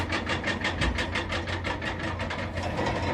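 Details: Cat excavator 6.6 diesel idling with a lumpy, irregular chuff about three beats a second, a cylinder not firing cleanly; engine misfire.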